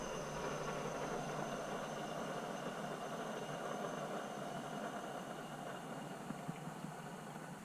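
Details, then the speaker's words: Nissan 200SX (S-chassis) with a ball-bearing turbo, engine switched off. A faint, steady high whir slowly fades as the compressor wheel coasts down freely, which is normal for a ball-bearing turbo. "if you have a ball bearing turbo after you switch your car off you will hear the compressor wheel in the turbo still spinning"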